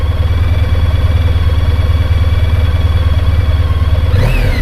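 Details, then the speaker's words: Honda ST1300 shaft-driven motorcycle after a good highway drive, having apparently sat unused a long time: deep, smooth, even exhaust pulse with no knocks or ticks, then a brief rev rise; sounds very smooth and healthy. "but it sounds really good now that it's had a a good Highway Drive so very smooth"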